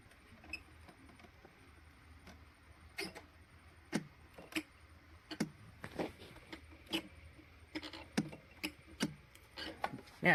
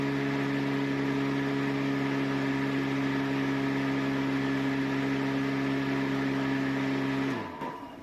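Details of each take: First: 24 V electric mower on a lithium replacement battery (40 A BMS), key in, switched to mow: sharp dry relay clicks about once a second with no motor spin-up or blade turning; owner suspects the BMS cannot handle the roughly 70 A start surge. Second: 250 W, 24 V electric mower on a replacement lithium battery (40 A BMS) drawing under 6 amps; steady even hum with a clean tone under the blade whoosh, then smooth spin-down when switched off; normal running.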